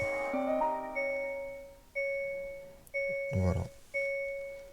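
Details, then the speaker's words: 2021 Hyundai Kona 39 kWh, started after pulling the fuse to clear a charge-door-open fault; the bonnet-open warning remains. A clean chime, then a ringing tone about once a second with no charge-door fault tone: normal start-up. "plus le défaut."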